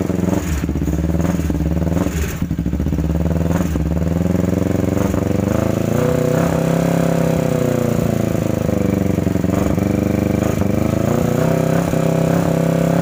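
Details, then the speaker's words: 2009 Kawasaki Ninja 250 that would not start, first run: rough, rattly running with a ticking clatter as revs rise. The engine was opened and the crankshaft was found defective on the left side and replaced. "Oke teman-teman jadi motornya tadi sempat hidupkan ternyata bunyinya lumayan kasar ngelitik di bagian recsel"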